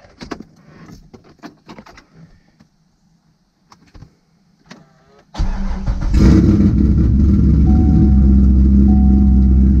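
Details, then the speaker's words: C6 Corvette V8 started right after an oil change to check oil pressure: handling noises, starter cranks, then steady even idle without knocks or ticks; normal healthy start-up. "We are gonna start it up, make sure we got oil pressure."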